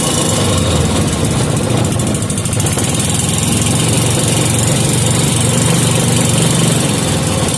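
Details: 5 hp Briggs & Stratton with gear reduction, just serviced with an adjusted carburettor screw, started without choke and warming up. Steady low thumping putter at constant speed, no misses or surging; running normally.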